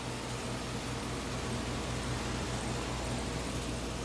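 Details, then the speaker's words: Three-ton "soft sound" AC condenser, camera right beside it: steady soft fan whoosh with low compressor hum, even, no rattles or knocks; normal running. "let you hear it there's also a soft sound and it's a three-ton we're standing right beside it camera right down there on it so it's pretty quiet"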